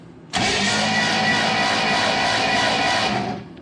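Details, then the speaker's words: 1967 Chevrolet Impala, 283 V8, Powerglide, sitting since 2005, after fitting a new bench-tested starter, spark plugs out: even, steady starter spin for about three seconds, no grinding or clicking; healthy cranking, engine turning freely. "See if she spins over. Well, let's see if it's any better with a new starter."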